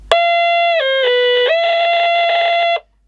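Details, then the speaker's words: Portable CB radio on 12 V, on standby: loud steady tone with a brief pitch dip, cutting off abruptly, unaffected by volume; the audio stage appears to oscillate instead of passing sound. "well that's a bit [Music] different we've got a pretty good oscillator here I think"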